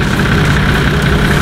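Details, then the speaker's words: Nissan Patrol TD42 diesel at idle after installing a new UFI fan, leftover tab that rubbed the fan removed: steady even fan hum moving more air, no rubbing or rattle, fan running healthy. "can hear the fan hum sounds a lot better than the old one it sounds like it's actually moving a lot more air"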